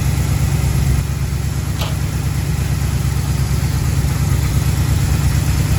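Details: 1936 Chevy coupe, 350 small-block V8, HEI distributor, pre-warmed: smooth steady burble idling slightly quick, revs raised by timing advance; idle needs turning down.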